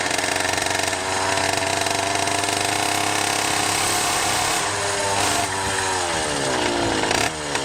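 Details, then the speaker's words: Rebuilt 100cc two-stroke motorized bicycle engine with 49mm iron-sleeve bore and new wrist pin, 92 jet, needle on the richest setting, near top speed. The buzz sounds blubbery and soft on top; the carb is running way too rich. "Yeah, that might have been almost top speed too. It's way fat."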